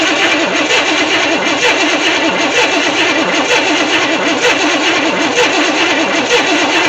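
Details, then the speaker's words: 1964 Chevy Impala SS convertible after 35 years in a shed, weak spark suspected from the coil: starter spins the engine at an even, steady rhythm but it never catches; cranks with no start, cause unconfirmed. "okay well this thing is so so close to wanting to start but it just won't push over that last little Edge"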